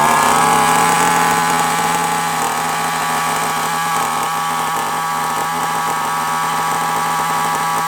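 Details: FTX Carnage nitro RC car engine started with a charged glow plug igniter: high, buzzy, steady tone holding constant pitch without stumbles or cutting out; the small nitro engine runs cleanly.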